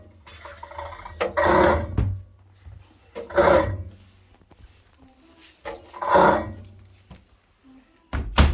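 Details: Hisense washing machine whose drum won't rotate during spin (F08/F22 error), while the drain pump still runs: turning the drum by hand gives three separate rasping scrapes of about half a second each. No foreign object was found and the source is not pinned down.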